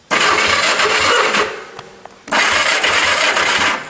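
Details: Honda go-kart engine with freshly sanded points, key on, cranking to check for spark: two bursts of fast, even cranking at about four beats a second, no firing yet; starter spins the engine freely and spark is confirmed.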